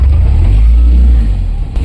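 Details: Tata Ace BS6 petrol, first cold start in the morning, owner reports it sometimes starts and sometimes doesn't; loud, deep idle with an uneven lumpy beat and a brief stumble near the end, a misfire attributed to weak compression.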